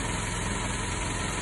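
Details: 1987 Mercedes 190E non-cat with KE-Jetronic, after checking spark plug gap, TPS and cold start valve: idle with a low, uneven pulsing beat and slight stumble, running a bit rich and shaking at idle.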